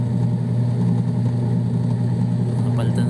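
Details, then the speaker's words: Washing machine after repair, running with no water or load: steady low hum with an even, smooth spin and no knocking or slipping; the gearbox now turns with the motor instead of slipping, agitator spinning normally. "Okay. So ayan mga idol, umiikot na siya ng maayos. Hindi na siya naglo-loos. Ayan, sabay na yung ikot nila."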